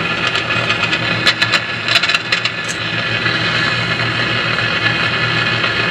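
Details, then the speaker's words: Philco 50-920 tube radio after capacitor replacement, testing: sharp crackles and pops over steady hiss, then hiss alone, a noisy reception. Owner suspects residual contact cleaner in the tube sockets, not confirmed. "I'm just sort of getting some noise now"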